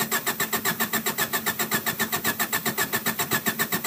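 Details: 1993 Honda Accord LX: the starter churns at about two beats a second but the engine never fires, crank no start; main relay tested OK, cause not confirmed.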